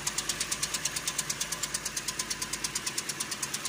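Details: 2013 Toyota Corolla 2.0 XLI 3GR gasoline engine at idle: crisp, even, light high-pitched metallic ticking about seven times a second. Owner says it fades when warm; mechanic first suspected connecting rod bearing.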